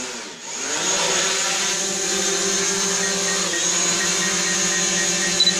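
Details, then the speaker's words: New DJI Mavic Pro drone taking off indoors via app take-off button, relying on vision positioning without GPS; steady high propeller whine settles into an even hover tone, motors sound healthy; normal takeoff and hover. "so to take off i'll have to simply do is tap on the take-off button and then we slide to take off"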